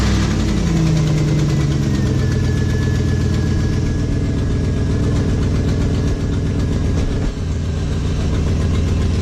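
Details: Car with a hole in the exhaust: loud, raw idle with uneven chuffing puffs that swell on a throttle blip, exhaust leak.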